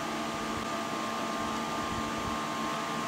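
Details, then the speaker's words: Power Mac G5 with 8 GB RAM running an older Linux live installer; loud, steady rushing fan noise with a constant hum; the fans run flat out without easing off under Linux. "t works uh the only downside so far is that it makes the fan run really loud okay it's very fancy"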